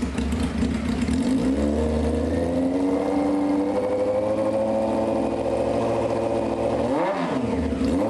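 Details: 1995 Honda CBR F3 start with wet plugs, fuel spraying, no muffler: loud open-pipe idle with revs rising and settling, still holding; rough rich idle, cause suspected.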